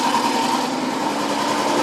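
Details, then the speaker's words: BMW Isetta 300 single-cylinder running for the first time, at fast choke idle, low on fuel: even steady buzz, quiet exhaust, no knocks or ticks; drips a little oil, suggesting oil pressure; sounds healthy. "as i was saying if you could hear me the engine has no knocks"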